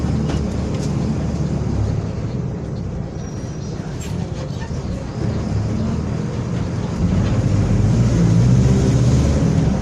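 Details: Onboard a Torino 2014 bus on a Mercedes-Benz OF-1721 BlueTec 5 chassis, recorded 2022, at speed: a low, steady droning hum under the engine that swells with load toward the end. Roaring differential.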